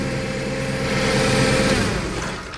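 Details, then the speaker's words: Toyota 7FGU32 forklift, 4Y engine, with the electronic throttle body disconnected. It idles steadily and evenly, showing ignition and fuel delivery work. The erratic-idle fault lies in the throttle and governor ECU control system. "Right, so this pretty much tells me that my ignition system's working properly, my fuel delivery is okay,"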